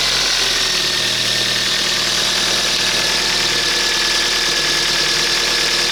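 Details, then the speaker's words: 2007 Kia Ceed 1.6 petrol, 150,000 km, after intake cam phaser replacement and loosening an overtightened alternator belt: steady, even idle with only faint valve ticking, clearances in spec, no rattle or knock; earlier noise gone. "здається цього звуку Я вже не чую тихенько тут там можливо чути трішки клапанці Ну зазори там в допусках"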